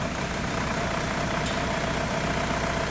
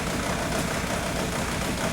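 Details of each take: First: 2002 VW Beetle 1.9 TDI ALH at idle, after raising minimum IQ setting to fix slow-down shudder: even diesel clatter about two and a half beats a second, no stumble or shake, runs smoothly. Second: 2002 VW Beetle 1.9 TDI ALH with the slow-down shudder complaint: uneven, lumpy diesel idle clatter with occasional stumbles; the injection quantity value drops to zero at times, leaving a cylinder unfuelled and causing the misfire shudder.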